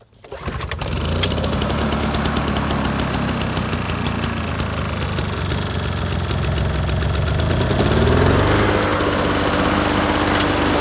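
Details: Toro two-stroke push mower, roadside find with Mikuni carb, not self-propelled, started on choke: fires within a second, then a crisp, even buzz that picks up speed cleanly around eight seconds; healthy, steady running.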